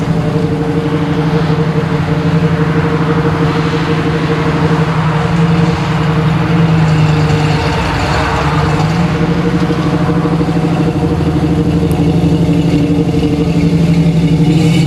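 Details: 1979 AMC Spirit AMX, 304 V8, driving on a new Brawler carb with mechanical secondaries, same jetting as the old vacuum-secondary Jegs carb: deep, steady rumble, even and strong, no stumble, bog or misfire; normal running under acceleration, idle speed still needing adjustment.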